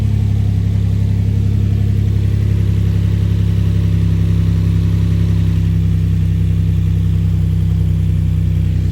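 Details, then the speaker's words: Infiniti G35 after exhaust install and valve cover and oil work, oil found in coolant and smoking; loud heavy droning idle with deep even rumble, louder than expected, cause unknown; valve cover leaking. "let's go check this motor is loud y'all I don't know what's up with that"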